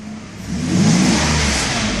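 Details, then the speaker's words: 1992 Mercedes 600 V12 in induced ASR limp mode, pedal floored; revs climb slowly and laboured, then flatten, engine running rougher with a deeper tone; sluggish, choppy revving from limp mode. "when I accelerate I'm pressing on the gas basically nothing happens but if I press [Music] more and you hear how difficult it is for engine to accelerate to rev"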